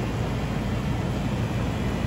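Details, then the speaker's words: 2005 central AC outdoor unit that was blowing warm air, after cleaning the condensing coil and fitting a new Titan HD dual run capacitor. Constant low compressor hum with a smooth fan rush, no rattles or buzzing. Normal compressor running. "hear that compressor hum in the background with a nice clean coil now job well done"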